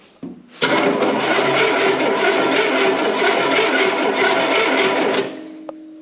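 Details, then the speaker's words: 1971 Cadillac Eldorado 500 cubic inch (8.2L) V8 barn find, first start attempt: about 4.5 seconds of slow, laboring starter cranking with no firing; has compression. Weak cranking, no start. "sounding pretty weak it fired off a lot better well it's got compression now"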